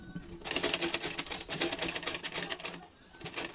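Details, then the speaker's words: Old rusty sewing machine during servicing, running with a fast, uneven clatter of sharp ticks and knocks. Worn, loose parts with play are knocking. "তো প্রচুর শব্দ, শব্দগুলো মারতে হবে। এটা খুলে নেব।"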